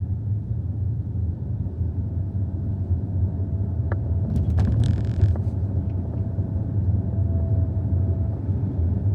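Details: 2021 Hyundai Ioniq 5 Ultimate gives a faint, steady high-pitched whine above road rumble; it starts around 10-15 mph, fades when slowing, is worse in colder weather and louder in person; cause unknown.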